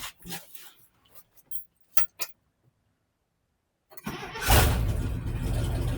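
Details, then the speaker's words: 1973 International 1110 4x4 pickup V8, revived after sitting parked, started with the battery just hooked up: a few quiet clicks and jingles, then it catches at once and settles into a strong, steady run. It has an exhaust leak at the donut, which appears cracked. "Oh yeah, fires right up."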